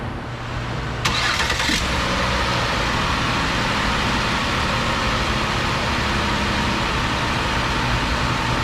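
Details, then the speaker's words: 2008 Ford Escape 3.0 V6, about 300k miles, restarted after fitting plugs and boots on the easy bank only; steady even idle, previously dead cylinders now firing, running much better. "amazing doing a lot better oh yeah i hear that one firing i hear that one firing oh yeah doing much much more better"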